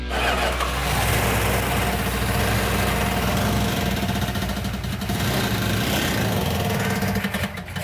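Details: 1970 Plymouth 'Cuda 340 V8 first start after fixing a missing fuel tank sending/pickup unit: fires and revs with a rough, uneven beat and a thin tinny metallic rattle on top, pointing to a loose flex plate.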